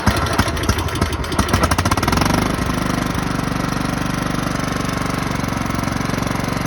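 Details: Craftsman lawn tractor, 15.5 OHV, sat 3–4 years, after clearing a nest, charging the battery and adding gasoline: rough cranking, then it catches and settles into a steady, even idle thump with no misses; running normally.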